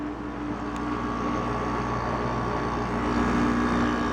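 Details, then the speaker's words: Haier window air conditioner after its bearings were replaced, which had squeaked badly before. Smooth, even hum with gentle airflow and no squeal or rattle. Condenser is lukewarm and the unit is starting to freeze up as usual. Normal running. "pretty nice sounding unit i'm glad it's working now"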